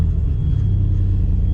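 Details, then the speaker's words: 1994 Chevy S10 4.3 V6, 5-speed 4x4, just after starter replacement: deep steady idle rumble with a constant high alternator whine; owner attributes it to heavy AC ripple from the alternator. "You can hear my alternator howling away out there. Big time AC ripple."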